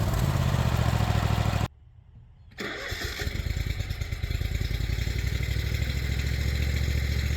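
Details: Craftsman Z6400 zero-turn mower after hydro drive belt replacement, on a trailer: engine runs, drops out briefly, then catches and settles into a steady, even rumble; running healthy.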